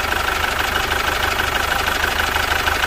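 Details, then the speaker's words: Chevrolet Captiva FL diesel, about 2012–2013, running biosolar: fast harsh diesel clatter at idle, about three knocks a second, heavy vibration and black smoke; fuel system problem suspected, injectors, EGR, turbo and intake cleaning planned. "Mesinnya bergetar sangat hebat. Bunyinya kasar dan juga mengeluarkan asap hitam."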